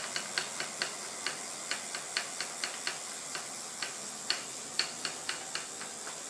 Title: Bike strange noise